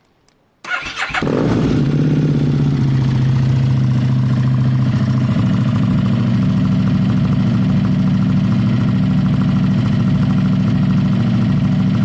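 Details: Motorcycle: cranks and catches at once, then settles into a loud, deep, even idle with a steady beat; normal start-up and idle.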